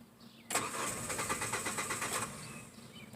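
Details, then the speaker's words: Hyundai Elantra after reconnecting the disconnected starter S terminal: starter cranks evenly under two seconds, engine almost catches but never fires; leaking fuel line pouring gasoline, no fuel pressure. "almost started right there I know what's going on here so here's what's going on that is your problem it's just pouring gasoline out so we have no fuel pressure"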